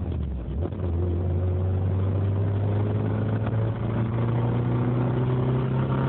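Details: 1.8 Isuzu engine revving with a deep, irregular knock under the drone: rod knock.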